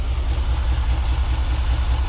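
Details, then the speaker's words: 1994 Chevy Caprice after a crank-no-start, fixed with a new fuel filter and octane booster in 20-year-old gas; alternator out, running off jumper cables. Deep, steady, even idle with a regular exhaust pulse and no misfires; running smoothly. "good running engine the alternator is out so it's running off the jumper cables"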